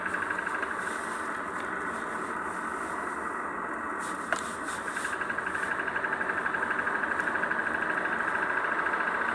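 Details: Kia K3 YD with Gamma GDI engine at idle, a light, fast ticking about three times a second; cause unclear, suspected tappet noise, scuffing or knocking, not confirmed.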